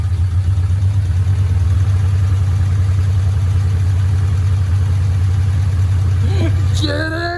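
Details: Mitsubishi Lancer Evolution 4, first start after removing the sump and changing the timing belt, fresh oil: fires and settles into a smooth, steady low idle with no ticking or tapping, and no leaks. Healthy.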